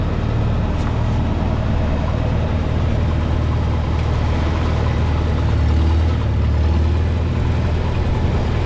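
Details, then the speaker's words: 1952 Farmall Super C tractor that was missing, after distributor work (rotor prong bent up, mechanical advance possibly stuck): steady, even low idle with no miss or stumble; now running cleanly. "I can't say for sure but I'm happy that it's finally fixed and running well so I'm going to start it up and let you guys hear it w"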